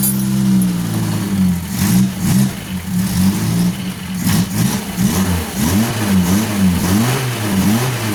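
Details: Suzuki Carry 1.0 petrol after points ignition converted to a Karimun box CDI, test run: starts and revs up and down smoothly with steady, even beat, no misses; ignition firing cleanly.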